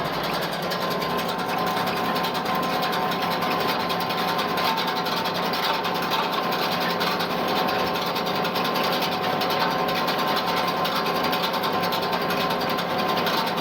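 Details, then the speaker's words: Hay rake set too low while raking thin fescue/orchard grass behind a tractor: constant scraping rattle with light clicks about once a second as tines catch the ground, flex into other bars and click off; rake tines scraping ground. "Raking the ground a little more than I want to. You can hear it. It's moving the tines on the rake there now. It's hitting into the other bars and clicking off the ground."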